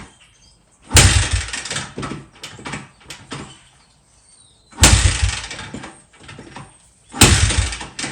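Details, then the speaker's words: 2005 Honda CRF80, not running and with dirty, gunky fuel: three kick strokes spin the engine briefly, each dying off to silence with no firing. It cranks but won't start; a carburetor problem is suspected and spark is still to be checked. "right now she's just kicking so U I got the gas it's super crungy here is on on and as you can see she just kicks so it's probably a car isue"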